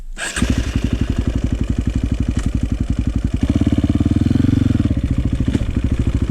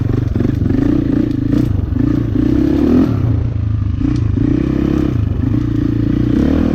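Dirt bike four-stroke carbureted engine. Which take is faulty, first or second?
first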